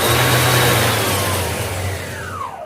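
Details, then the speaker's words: Iveco alternator after replacing the faulty overrunning (freewheel) pulley, bearings untouched, belt refitted, on test: smooth even spin with steady hum, no rattle or scraping, clean falling tone on coast-down. Normal alternator run. "Que maravilha, ó. Prontinho, tá aí, ó, alternador da Iveco, polia trocada, não precisei mexer nos rolamentos, não precisei abrir, não precisei nada."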